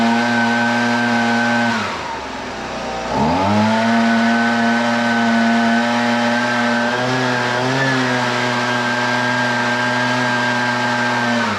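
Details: Husqvarna 125BV leaf blower two-stroke after carburetor replacement (previously wouldn't prime or start): high even buzz dips once, recovers cleanly and holds steady; best in a while, owner thinks it may need slight adjustment; normal running.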